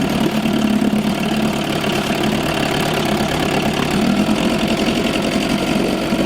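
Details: 1987 Johnson 4hp twin two-stroke outboard in a water barrel, recently overhauled with new choke/fuel shutoff and idle valve, on old rich-mix fuel: steady crisp putter with no hesitation or misfire; normal running.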